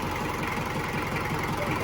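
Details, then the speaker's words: 1994 Isuzu Panther diesel, first owner, never overhauled, with thermostat refitted, about 82 degrees: steady idle with light quick top-end clatter; likely valve clatter. "Tapi anak bubuk ini rada kerapetan. Kelepek kelenggangan kan."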